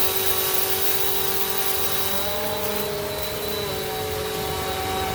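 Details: 2017 Bissell Powerforce Compact 2112 refurbished curb find, after brushroll bearing work and filter assembly adjustment for a wind-down howl, running on pile carpet: steady motor whine and even brush hum, no rubbing or grinding, healthy.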